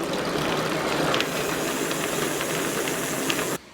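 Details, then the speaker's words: E-bike with Bosch motor, rear wheel spun by hand: loud, gritty hiss-like rumble from a worn-out rear hub; stripped down and balls and cones inspected, needs a new wheel or a new hub built into the existing rim. "this uh rear hub is absolutely gone we've stripped it down we've looked inside of it we looked at the balls and Cones inside and they"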